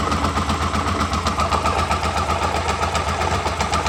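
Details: 2007 Hyosung GT650R: lumpy low idle with a galloping pulse about four beats a second and a grinding edge underneath. It occurs at 1,000–3,000 rpm and goes away above that, loudest from the cockpit, in neutral and in gear, clutch in or out, on fresh oil; source unknown.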